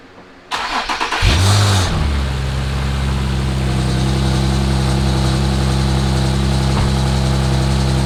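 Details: Infiniti G37 sedan after installing aluminum crank and alternator pulleys and new radiator hoses and cap: starter catches fast, quick rev flare, then an even steady idle with no misses or ticks; healthy engine.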